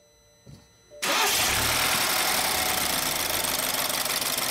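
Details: 2013 BMW X3 after a crank-no-start repair, with the original module refitted: a short crank catches straight away and settles into a steady, even idle with no misfire.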